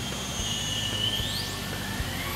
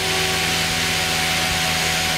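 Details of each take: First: Goblin 500 electric RC helicopter in normal mode at half stick, which should give 75% headspeed: whine climbs and keeps rising past that. Idle-up modes show no change; cause unknown. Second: Goblin 500 electric RC helicopter after switching down from idle up one back to normal mode at half stick: steady, moderate motor and rotor hum with no surging, sounding like the correct 75% headspeed once modes are cycled.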